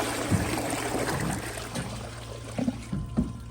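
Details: Glacier Bay PowerFlush vacuum-assisted toilet with the tank removed and the vacuum tube open: a bucket flush gives only pouring, trickling water and scattered gurgles, with no rushing pull, and the bowl never siphons.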